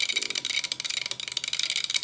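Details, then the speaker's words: Early-1960s Astor suitcase record player, motor powered up on a variac at 168 V: fast, light, high-pitched rattling ticks; noisy motor, possibly because the unit was standing upright; cause not confirmed. "bit noisy but could be cuz it's sitting up so that's at 168 volts"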